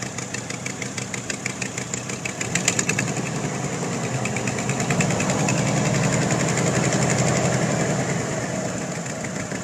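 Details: 1992 Ford Bronco V8 at idle after fitting an Edelbrock Performer 3881 intake: a quick, light ticking keeps time with the firing. Owner suspects an exhaust leak at the shorty Summit headers, not confirmed.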